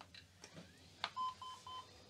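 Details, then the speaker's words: Sun UltraSPARC laptop powering on: a click, then three even beeps at about 1 kHz, halting after POST without booting; retry with external monitor also dead, owner wonders if battery needs charge. Cause unconfirmed. "it powers on well it didn't come much further than this it did post with three beeps but let me try again"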